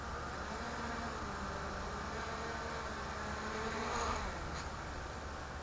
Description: My front left Sunnysky does not sound happy..